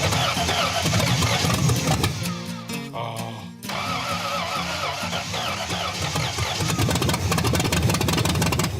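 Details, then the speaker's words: Barneville project engine: cranks, catches and runs rough and lumpy with an uneven beat; sounds really terrible, running on only four cylinders. "It's alive. Well, 62% of it. That sounds really terrible. And it's running on four."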